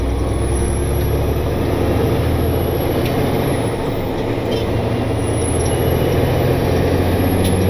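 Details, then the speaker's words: Diesel truck on test drive after a loose rocker arm causing a slapping noise was fixed at the shop: steady even drone lugging under load with engine brake use, no ticking or knocking, not overheating; runs smooth. "foreign seems to be doing just fine it's not getting hot it's running smooth so hopefully that means it is ready to go back to work"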